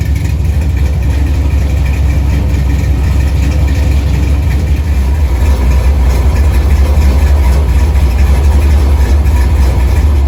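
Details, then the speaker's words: LS-swapped 1964 Chevy II Gasser on Holley Terminator X after swapping reversed coil pack harnesses: deep steady V8 idle with the uneven chop of a big cam, idle set at 950 rpm; normal lopey cammed idle. "Oh, it runs, I love it. It's actually idling, so I'm just gonna leave it alone. I set it at 950."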